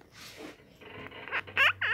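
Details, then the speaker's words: Toyota Kijang clutch hydraulic release cylinder rusted inside; creaky squeaks in rising and falling sweeps as the clutch is worked; the cylinder sticks and won't return, keeping the release bearing on the pressure plate so the clutch slips. "Jadi ketika kita injek kopling itu dia nggak balik yo, dia nggak balik. Jadi ini harusnya yang balikin itu kan nah nih bunyi yo nih, keras kan. Jadi yang macet di sini awalnya."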